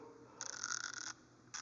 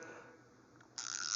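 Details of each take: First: Icon 90-tooth 3/8-drive ratchet, only about a week old: quick bursts of scratchy, uneven dry clicking. Rough ratchet action; the owner suspects it needs lube and may take it apart to lube it. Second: GearWrench 84-tooth 3/8-drive ratchet, the owner's longtime workhorse: a short, fast, even fine-toothed buzz with no catching or skipped clicks. Smooth ratchet action.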